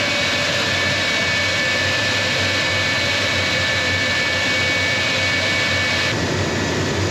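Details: Collings Foundation jet's J79 turbojet engines on a ground engine run after leak repairs: a steady, even turbine roar with a constant high whistle and no surging or pops, a healthy idle after a successful run.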